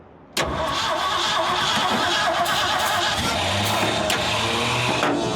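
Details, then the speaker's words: Abandoned 1979 Ford F-350 dually, long off the road, in neutral with clutch pushed, cranked hard on starting fluid for about five seconds; near catches but never runs: cranks, no start. "Dude, it's almost popping off, but the starter catches."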